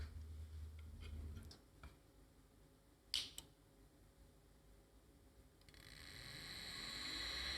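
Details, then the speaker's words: Seagate 1GB SCSI hard drive on an Adaptec AHA-1542CF, set to device ID 1 so it waits 16 seconds before motor spin-up: a few soft clicks, then a clean whine rising as the spindle reaches speed; normal spin-up, drive may actually work. "Wow, I think this drive may actually work."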